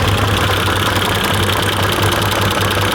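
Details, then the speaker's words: Can-Am Commander side-by-side, rear lifted and driven in gear: loud rough drone with constant gritty grinding and irregular knocks that starts after it accelerates, a transmission failure with something loose inside. "What's different about this one is it goes into gear fine and accelerates, and then it starts grinding as it's moving. Yeah, it's definitely a transmission."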